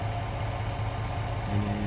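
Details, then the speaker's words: 2005 Jeep Grand Cherokee Hemi with cold-weather no-crank, started via key after turning motor with starter relay: steady, even low idle with no stumbling or rattles; normal idle. "I go in there and put the key in there fires up every single time"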